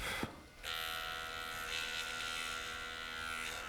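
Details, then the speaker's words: IBM Aptiva 2139 late-1990s barnfind PC: floppy drive gives a harsh, steady electric buzz; the head stepper strains against a carriage stuck despite greasing, suspected at the worm shaft. "The motor is spun up. Uh, it's making a very strange noise. Uh, that noise I think is coming from the worm shaft. I have greased it, but it seems to be stuck."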